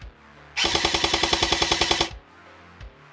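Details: Specna Arms X Series Flex airsoft gun on full auto: about fourteen rattly cycles in a second and a half, roughly ten a second; sluggish, noisy full-auto cycling, though the motor seems torquey on semi.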